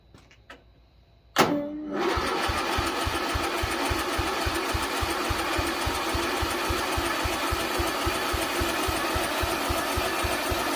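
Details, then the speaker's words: Lawn mower small engine on a low battery boosted by a jump pack, after carburetor and solenoid work: steady starter cranking at about three and a half beats a second with no firing; the fuel tank was empty. "I forgot to check to see if there's any fuel I was wrong with it ain't got no gas in it"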